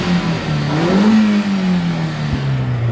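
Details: Engine with a cylinder-four misfire, petrol, after clearing the trouble codes: revs climb smoothly and settle back without stumbles or missing beats, running clean and even on all cylinders; check light off, misfire gone.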